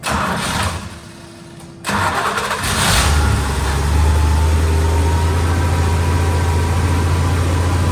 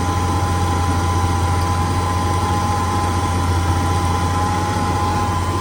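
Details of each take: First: 71–72 350 engine in a split-window Corvette coupe, not run in about 30 years, electric fuel pump, ignition jumped, warming up; steady high idle that stays fast despite the idle screw being all the way out, fast idle. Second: 71–72 350 V8 in a split-window Corvette coupe, first run in about 30 years, electric fuel pump, warming up, idling fast with idle screw all the way out; smooth, steady low rumble, no misses or knocks, clean exhaust with no smoke, normal idle.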